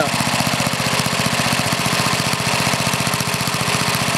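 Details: Older Briggs and Stratton engine with one-piece Flo-Jet carburetor: quick, steady single-cylinder idle putter with only a rare faint sputter. The mixture is correct; constant backfiring and sputtering would mean leaning it out.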